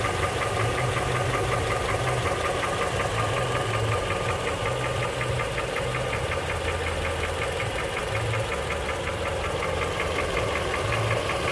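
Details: Honda CR-V 3 (2007, Japanese-built, K24Z1): heavy diesel-like knocking two to three per second, quickening with throttle, present for a year; valves adjusted repeatedly, stethoscope checks disagree, suspected pistons, valves, spun bearings, injectors or chain; cause unknown.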